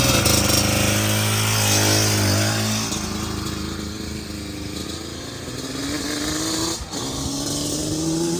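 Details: Customer two-stroke J-arm bike of uncertain year (possibly 1989), after a carb rebuild with the idle and air screws set, engine warm but not hot. Crisp idle, and each rev climbs cleanly with no bogging: running way better.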